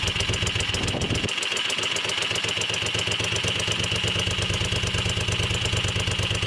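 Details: Moto Guzzi Le Mans 3 twin, first start after restoration, cheap pod filters: catches and settles into quick even beat, crisp exhaust pulses, idling slightly fast but smooth; throttle held slightly open to keep it from stalling.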